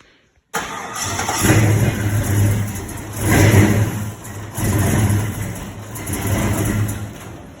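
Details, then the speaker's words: LS-swapped C10, 6.0 with a cam, before retuning: cranks, catches, then rough idle swelling and sagging about once a second; it kept stalling. "That was just showing a little clip of it trying to crank before we mess with the tune."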